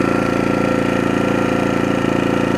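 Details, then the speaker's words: New AIVOLT 4300 inverter generator on gasoline, first run in eco idle: steady even low hum with smooth fast pulse, no knocks or surging; very quiet, slightly louder from the back side; normal running. "As far as noise, I mean, walking around it here, I would have no issue working right next to this thing. I mean, there's nothing. Coming around the backside, you can hear a little louder on the backside."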